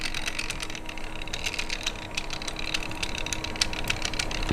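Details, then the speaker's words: RC Power Wagon crawler after cogging fix with new bigger spurs and smaller pinions, spur gear looked worn: thin steady whine over electric motor hum with scattered clicks; drivetrain whine, owner suspects spur gear mesh. "Jesus. Why is everything so noisy? Put a little load under it. I'm sure it'll be fine."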